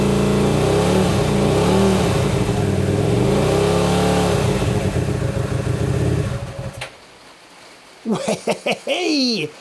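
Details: Hyosung GT125RC, first start in 2 years after ultrasonic carb cleaning and wiring changes: revs swing up and down unevenly and the engine dies after a few seconds; rough, hunting run, possibly a weak cylinder, owner wonders about carb overflows.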